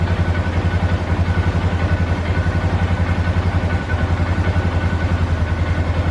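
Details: 2012 Polaris Sportsman 400 HO ATV, after the idle fix for bogging down and dying (carb had been gummed up): even low thumping single-cylinder idle at a steady pace, no stumbling or dying; normal idle.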